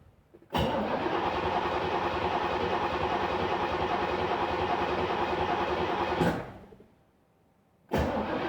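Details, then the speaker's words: 1986 C4 Corvette L98 cranked with the 10 amp fuel pump fuse pulled to purge fuel rail pressure before installing new injectors: steady fast starter churning for about six seconds, then another crank; never catches, as expected. "But just to be sure, we're going to crank it over a few times with the fuse out, so therefore we are purging the pressure from that fuel line and therefore, you know, the fuel rails."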